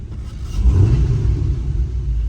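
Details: 2010–2014 Camaro with cylinder 2 misfire (P0302, P0202, injector circuit open): deep lumpy rumble stumbling as revs rise; misfire from failed fuel injector, fouled plug seen.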